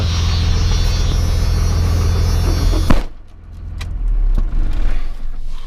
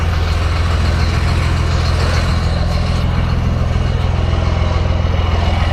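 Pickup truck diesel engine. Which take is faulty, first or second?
first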